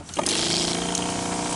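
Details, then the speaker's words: Electric sprayer that would not spray after charging nearly a day; owner suspects worn-out battery, so pump is tested on direct mains power: steady even hum with light hiss, no stutter, pump runs normally, pointing to the battery. "Nah, ternyata sprayer ini masih berfungsi dengan sambungan langsung dari energi listrik yang kita sambungkan dari listrik. Seperti ini, kondisinya masih hidup."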